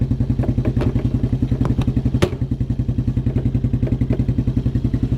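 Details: 1987 Suzuki Quadrunner LT230E ATV single-cylinder, idling outdoors after throttle and air filter replacement; quick even putter, every beat steady, no misses or stumbles; idling cleanly.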